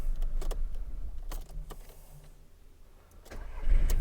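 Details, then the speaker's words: Car engine with exhaust pressure pulse sensor fitted, described as perfectly running: fires quickly after cranking and settles into an even idle without knocks or stumbles; normal engine start. "This is a perfectly running good engine."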